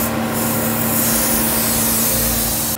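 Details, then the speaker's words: 2013–2016 Nissan Caravan NV350 after A/C condenser replacement and recharge, engine running with A/C on: steady even whoosh with constant low hum, no rattles; condenser fan running normally, system cycling. "so guys you can hear the condenser fun running and the ac system cycle out and cheap inbox dripping water"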